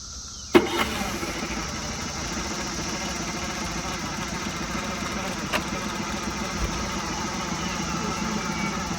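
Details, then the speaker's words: Mercury 9.9hp outboard in a tub with a new impeller after sitting over six years; catches and settles into a steady buzzy idle but no telltale water stream, possibly impeller fragments stuck in the cooling line: running with no cooling water flow. "Well, I don't see no waters."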